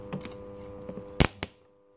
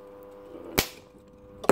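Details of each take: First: Home made spot welder progressing slow. But it works. 555 time circuit. Part 3 Second: Homemade spot welder with a 555 timer circuit, still a work in progress: two sharp cracking snaps about a second apart over a faint hum; the electrode tips arc instead of making a clean weld.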